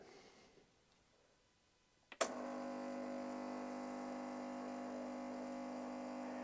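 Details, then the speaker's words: Coffee machine on first start-up, flush cycle with hot water button pressed: a click, then a steady electric pump hum, but no water comes out; pump runs without delivering, maybe worn pump seals. "it's making a noise I can hear the pump running but uh doesn't seem to be doing anything"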